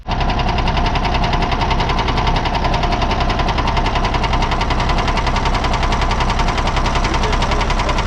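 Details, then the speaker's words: 1979 Kenworth W900A with Cummins diesel at idle: sharp regular rapping about twice a second; a Cummins technician traces knock to cylinder 3, not the bottom end, possibly piston, not sure. "he says number 3 has an issue. He's not exactly sure. He says it could be a piston, could be a few things."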